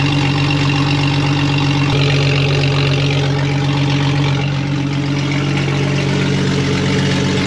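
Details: Cheap old Jeep with automatic transmission on first start: a deep, loud, rumbling idle with a coarse pulsing throb well above normal. It sounds like the muffler is missing or the exhaust is broken.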